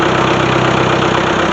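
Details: Ford-badged power unit using Long tractor parts: even, steady clatter at idle with regular firing pulses and no misses or knocks. Healthy diesel idle.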